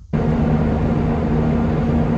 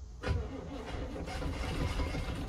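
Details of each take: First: 1972 Barth RV motorhome engine revived after sitting: catches at once and settles into a steady, even idle with no stumbles or knocks; the engine sounds all right, the remaining problem is fuel delivery. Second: 1972 Barth RV motorhome, long-dormant engine primed with gas down the carburetor: fires and runs rough and uneven for a few seconds, then falters; it catches on a prime but won't keep running.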